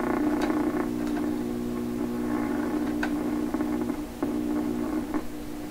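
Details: 1928 RCA Victor Model 28V radio, after removing chassis ground: steady low mains hum with scattered clicks, same pitch throughout, slightly quieter; source still unknown, shop computer equipment suspected.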